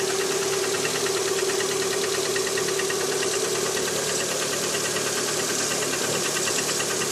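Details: Lada Priora 126 engine, cold start on 10°C morning: steady fast light knocking about three per second over hissy run; knock disappears when cylinder four coil removed; piston slap, gone after repair.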